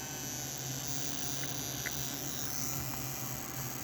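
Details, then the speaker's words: Model train smoke unit fan in idle mode at 3 volts, too fast, being turned down with the idle trim pot: steady high whir with a low hum underneath, pitch dropping; runs smoothly. "now it's coming down you hear the pitch change three volts"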